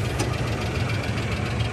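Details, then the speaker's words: Isuzu Rodeo survivor with a new fuel pump, idling: a steady low rumble with a single sharp click as the AC compressor clutch engages; normal AC cycling. "you hear the AC cycling"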